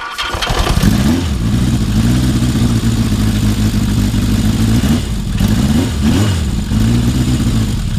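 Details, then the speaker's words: Yamaha XS1100 starting before the ignition timing check: catches and settles into an even, steady beat with a couple of blips, firing cleanly on all four cylinders. "No, you can hear it. It's on 4 cylinders."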